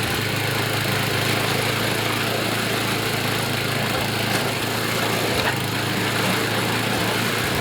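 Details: YardMan snowblower after an auger belt fix, with idle and high rpm re-set: a steady, even small-engine drone at speed with no misses, surging or knocks. It runs smoothly.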